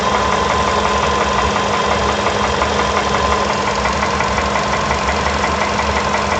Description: Стук двигателя поло седан. Стучит поршень.